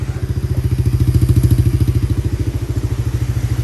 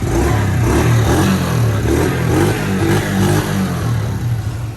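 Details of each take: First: Kawasaki Mojave 110 single-cylinder with fresh gas, new fuel lines and filter, original plug, and overfilled oil blowing out the vent hose. It was just started and needs a little throttle, disliking choke. Even, steady putter about three beats a second, no misses: runs normally. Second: Kawasaki Mojave 110 ATV, fresh gas, new lines and filter, old plug, start on choke: uneven lumpy stumbling beats about two a second; runs rough, needs a little throttle, dislikes choke.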